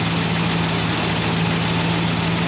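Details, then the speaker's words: 1970 Pontiac Grand Prix V8 with Edelbrock intake, K&N filter, at idle: steady, smooth low rumble, no knocks or misses; runs pretty good. "Runs pretty good. Just ugly, like I said."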